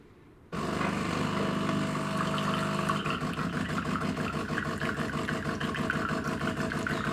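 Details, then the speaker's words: De'Longhi ECAM coffee machine after cleaning the previously stuck, cracking brew group: steady motor hum with even gear ticking as the brew group travels down smoothly, no crackling or snapping; it now comes out by itself. "jetzt kommt sie schon selber raus und so sollte es dann auch sein"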